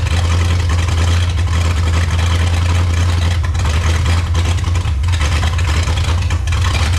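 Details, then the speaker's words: 1954 Chrysler New Yorker 331 Hemi V8 after 50+ years in a salvage yard: deep, lumpy uneven idle, running rich and rough; carburetor still pouring fuel, needs tune-up and rebuild, owner suspects sticking float. "Still pouring fuel. Well, most likely we need to tune up, amongst other things."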